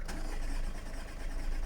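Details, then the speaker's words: Audi A3 sat about 3 months, coolant and oil-pressure warnings, owner suspects weak battery; cranking with an external booster attached: steady starter cranking, brisker and more even than before. "Oh, sounds quicker."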